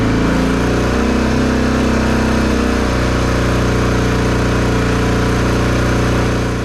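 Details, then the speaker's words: Honda XR650L just reassembled with the factory decompression refitted and the cam lobes and rockers in moly break-in grease, choked, held around 2,000 rpm during the five-minute break-in: an even, steady single-cylinder thump, no knocks or ticks, running healthy. "That around 2,000 RPM, fluctuating the RPM for 5 minutes or so, and now I'm going to put the seat back on and we'll take it for a ride tomorrow."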